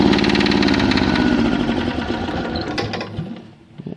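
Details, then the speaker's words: Kubota GL6500 diesel generator on a cold start after preheat: lumpy, uneven chugging at about three beats a second that fades and dies within seconds and won't restart briefly; cause suspected, not confirmed. "runs for a bit dies it won't start back up for a few seconds"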